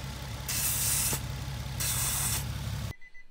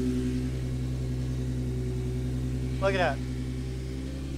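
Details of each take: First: Car with 3-inch intake and the crankcase breather/PCV ports blocked off, just started at idle. Two loud hissing bursts over a steady idle as the crankcase draws heavy vacuum through the capped port. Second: Engine with 3-inch intake and PCV delete kit installed, ports no longer simply blocked off: smooth, even idle with a steady low drone and no hiss or vacuum sucking noise; normal idle.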